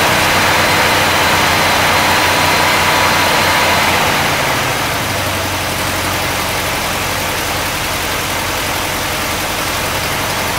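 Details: 1964 Cadillac, sitting 17 years, points cleaned: even starter churn at about four beats a second, never fires; crank no start, fuel pump seems to work but carburetor gets no fuel, suspected, not confirmed.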